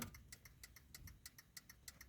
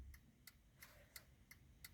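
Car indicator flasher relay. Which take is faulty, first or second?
first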